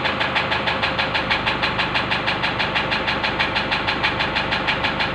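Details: Engine at idle with a sharp, even ticking knock about three times a second holding its beat; suspected injector knock, cause unconfirmed.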